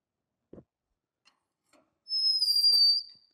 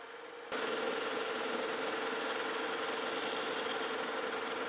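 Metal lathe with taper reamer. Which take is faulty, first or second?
first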